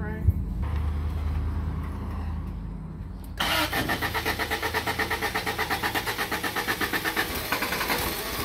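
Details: 1987 Toyota pickup (2WD Hilux) with 22R engine, starter cranks and engine catches, then runs with an uneven pulsing beat near three per second; rough idle that needs throttle to keep running, before vacuum leak, carb, cap and rotor checks.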